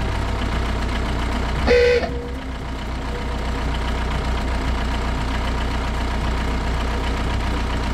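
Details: 2005 VW Jetta (MK4) diesel with newly installed Harbor Freight ooga horn bolted in place of the old horn; one short loud honk over steady diesel idle clatter, dying away cleanly; horn working normally.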